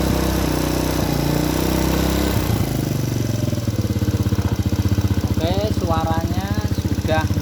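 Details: Honda Supra Grand carburetted single after reinstalling the carburettor with an adjusted long needle and nozzle to cure black, fouling plugs: a steady, even idle with a regular beat and no misses. It is running cleanly.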